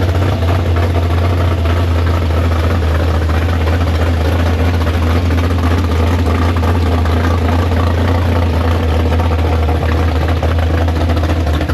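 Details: Big-block Chevy V8 in the Farm Fresh gasser, downjetted 750 carb: deep, even idle with strong low rumble and steady beat, no misses or knocks. Normal, healthy idle.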